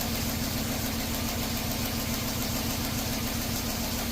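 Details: Toyota idling with a scope hooked up: slightly lumpy, uneven pulse under light mechanical clatter. Codes show camshaft position timing over-advanced and a cylinder 4 misfire, believed caused by pulling the coil; a possible open switch is suspected. The cause is not confirmed.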